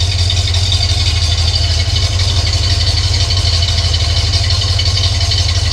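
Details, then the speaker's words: Cadillac Coupe DeVille V8 (tagged 472/500) at steady idle after a new Walker Quiet Flow muffler was fitted: a deep, smooth rumble with no rasp or drone, much quieter than the old muffler and very quiet inside. "And you probably can't tell on the camera, but it is a lot quieter than the other muffler. Um, it's just it's just tremendous."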